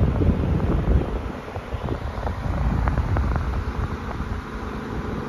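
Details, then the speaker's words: Amazon Basics F26-16A air circulator floor fan, donated new, on a higher setting: steady low whooshing airflow with irregular faint clicks and thumps and some vibration; runs rough, cause unclear. "a little bit High well that doesn't sound good"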